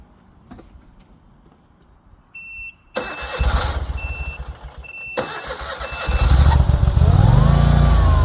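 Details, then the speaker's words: Dixie Chopper mower on the family farm: two brief cranking bursts fail to catch before the engine finally fires and settles into a rough run; hard starting, cause unknown. "So, as you could see there from the beginning of this clip, I'm already having problems with this Dixie Chopper getting it to start."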